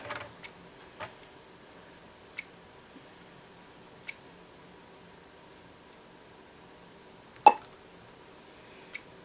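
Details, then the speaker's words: Old laptop, last used around 2015 and stored in hibernation for about 10 years, likely Intel Core 2 Duo, powering up after being put on charge: scattered sharp clicks every second or two; suspected dead hard drive not spinning up, hanging at startup. "we might have a dead hard driving this one so that noise might in fact be the hard drive now we'll explain why it's hanging up here"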